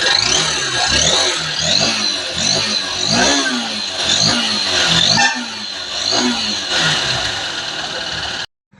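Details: Honda Unicorn that hesitates under load though no fault codes, after new fuel filter and tank refill: small single fires up and takes quick throttle blips, revs rising and falling cleanly without stumbling; air filter found clogged, being replaced.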